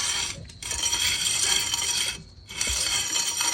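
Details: 2006–2015 Honda Civic rear drum brakes before replacement: gritty metallic scraping in bursts rising and fading with each drum turn, mostly high-pitched; worn rear drum shoes.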